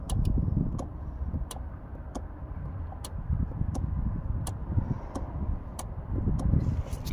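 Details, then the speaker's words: 2009 Nissan Rogue 2.5 L with P0447 code, after replacing the cracked, water-damaged EVAP vent control valve: crisp single ticks about every two-thirds of a second as the scan tool switches it on and off; the new valve works. "Just do on and off, and we should hear it click. Hopefully you guys can hear that. It's going tick, tick, tick, tick."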